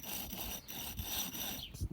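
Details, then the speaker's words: Old AC compressor removed from a Cadillac CTS-V (AC dead for 2 years), hand-turned on the bench: dry, gritty, uneven rasping grind with a loose, sloppy clutch, unlike the smooth, silent new unit; internal wear. "thing's nasty sounding um that's the old one"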